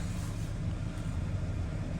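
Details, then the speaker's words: 2013 Kia Sorento at a dealer auction: steady, even low rumble with no knocks, ticks or misses, no engine light; normal idle. "So no engine light. It's idling all right."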